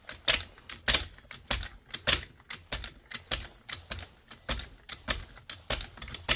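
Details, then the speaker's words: Trolley jack tested after an oil top-up and refitting the bung. Crisp, even clicks from the pump strokes at about a hundred a minute with no hiss or stutter; the jack lifts normally. "There we go. It's rising up quite nicely now. Same thing on this end. All good."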